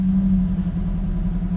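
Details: Gen 7 Toyota Celica after replacing the fuel pump (Denso OEM), filter and regulator, relearning fuel trims: steady, smooth low hum with an even pulse and no misses or ticks, the best idle it has had in a while; normal idle.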